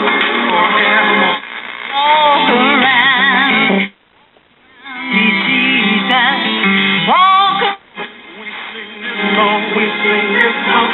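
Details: 1965 Zenith model M860W four-transistor AC table AM radio after repair of hum and cleaned volume control; clean music and voice, no low drone, brief dropouts between stations, hum fixed, sounding healthy.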